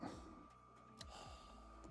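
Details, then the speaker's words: Motor powered through a dim bulb tester whirs up and quickly winds down in falling sweeps, over and over, never holding speed; it starts for a split second then cuts out, with the tester limiting power. Cause not confirmed. "It did for a split second, then turn off. Did you see that? So it's limiting the power, exactly what I said, right?"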